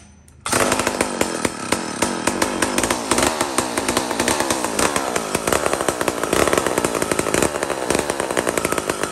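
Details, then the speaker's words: Mac 125 SP chainsaw, single-jet carburetor, tuning in the cut: starts then runs under load with a rough, burbling, uneven note, fat and rich, before being leaned out. "this is tuning in the wood so i cut it sounds like terrible it's so fat and rich i tune it a bit bring it up bring it up"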